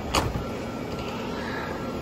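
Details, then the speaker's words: Residential central AC condenser, service call for not cooling, running after connections were tightened and the compressor nearly condemned: steady fan whoosh over a smooth hum, no knocks or rattles. Normal operation. "we're discharging hot air from inside the house and she lives another day"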